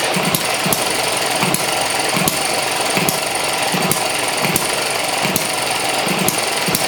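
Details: ET6 model hit and miss engine from Banggood, first run on fuel with two-stroke oil mixed in: sharp firing pops about every half second with skipped beats while coasting; governor holds exhaust valve open, normal governor cycle.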